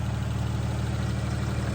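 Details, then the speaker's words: 1988 Daihatsu Hijet mini truck after refueling (it had run out of fuel) and carburetor tuning: even, steady low putter with no misses or stumbles; normal idle. "I've been tuning the carburetor a little bit better and it sounds like it's running pretty"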